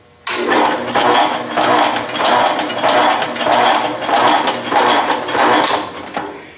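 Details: Atlas/Rhodes crank-type metal shaper with Whitworth quick return mechanism: even swish-and-clunk cycles about every 0.6 seconds, slower forward cutting stroke then quicker return; runs smoothly and normally.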